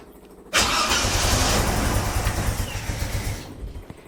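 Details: 45-year-old 2.8-litre Vauxhall Royale coupe, newly refitted Weber carburettor at baseline settings, choke cable off: fires suddenly, runs ragged about three seconds, then sags and dies; hard starting, lean untuned carb not holding idle.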